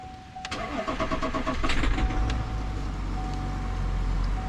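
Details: 2021 GMC Sierra 3.0L Duramax diesel, start after fuel filter change: brief crank, catches quickly and settles into steady even idle with no stumbling; normal healthy start.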